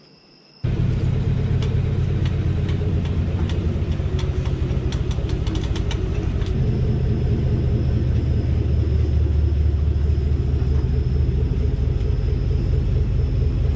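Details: 2018 Chevrolet Silverado with 3-inch leveling kit, driving after front suspension rework: low even road rumble, a few light ticks early, no repeating clunk from the front end; earlier noise appears gone.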